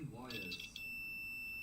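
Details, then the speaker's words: Sharp radio repair: multimeter continuity test between solder joint and trace gives a steady high beep; the trace still conducts, surprising the tester. "That is making continuity. Do you know what? I'm I'm actually I'm actually amazed because that might have been that actually physically looks like a trace."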